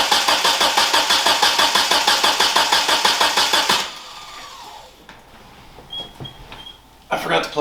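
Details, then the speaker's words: 1991 Eagle Talon after installing a new Deatschwerks fuel pump: even starter churn at about three beats a second for nearly four seconds, then it stops without firing while the fuel lines re-prime. "all right it'll take a minute it's going to crank for a minute because it has to get pressure back in the"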